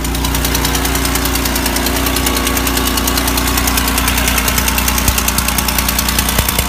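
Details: GM 3800 L67 V6 at rough idle with a sharp, steady ticking about three times a second, crisp and rhythmic: exhaust leak.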